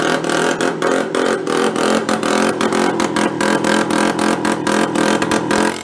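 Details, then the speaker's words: Benelli Andretti M50 two-stroke scooter with 500 miles, long stored non-running; exhaust flange opened leaving an exhaust leak; uneven, stumbling buzz with irregular dropouts, won't take throttle; loaded up with oil, air cleaner partly missing. "definitely loaded up with oil huh sometimes you need the rest of the air cleaner on it"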